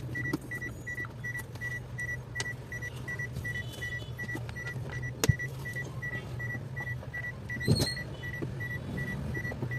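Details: Ford Everest after repairing a no-crank fault caused by a broken shift cable bushing and replacing the whole cable: low, steady idle hum holding even, with a periodic chime beeping above it; engine sounds healthy.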